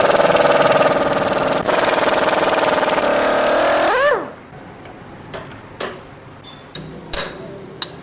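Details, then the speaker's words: Motorcycle that makes noise on starting after standing two to three hours: fast metallic chatter over the running engine, about four beats a second, then shutdown clicks; suspected timing chain or tensioner rod. "अमूमन यह फाट जो है timing चैन का होता है या फिर टशन रड का होता है इन दोनों में से एक चीज को होता है"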